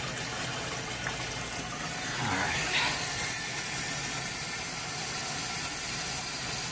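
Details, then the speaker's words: Hoshizaki ice machine in fill mode, sump previously totally empty: steady hiss of running water with a rushing swell as water already drains, quite fast. Machine had been making no ice and beeping three times repeatedly. "right and you can hear water draining already from the machine that's pretty fast all right considering the sump was totally empty that's pretty fast"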